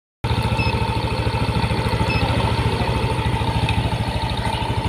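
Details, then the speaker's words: Yamaha NMAX first-generation scooter idling while a JDiag M200 scanner reads engine speed at 1500–1600 rpm, rising and falling. It makes an even, steady putter with no knocks, misses or rattles. Normal idle. "rpm-nya terbacah di sini tuh 1500 1600 naik turun ya"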